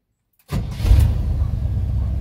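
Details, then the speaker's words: GM C30 truck after ignition switch replacement fixed a no-crank: brief crank, catches at once and settles into a steady, even low carbureted rumble; starts and idles cleanly. "it started pretty good for corporated beautiful"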